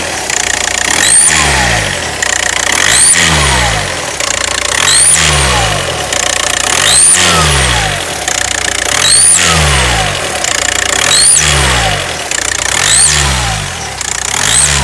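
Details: VW Passat B6 TDI: a thin, high turbo-like whistle rising with each blip, heard from 1500 rpm and loud while driving, but at idle only when revved. The cause is an EGR valve not sealing.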